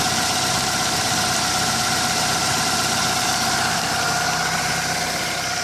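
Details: 1998 Toyota Camry 5S-FE 4-cylinder, used, with strong blow-by at the oil filler; PCV valve, plugs and oil changed, no check engine light: fast, fairly even light chatter about four ticks a second from the crankcase for about 5 minutes after cold start, then it stops. Cause undetermined.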